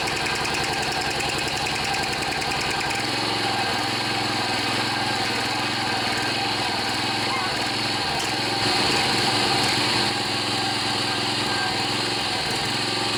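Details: John Deere 14PB self-propelled mower with Kawasaki 5.0 hp OHV engine, after carburetor cleaning and rebuild (plugged slow and main jets) following long outdoor storage: catches at about three seconds and settles into a quick, steady, buzzy run without surging; normal.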